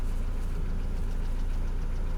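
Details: Mercedes Vito W638, post-facelift, M111 2.3L petrol, automatic, 17-inch AMG wheels, dual exhaust; idling at 832 rpm, oil 55°C; fast even knock from inside the engine under exhaust drone, following engine speed; cause suspected, not confirmed.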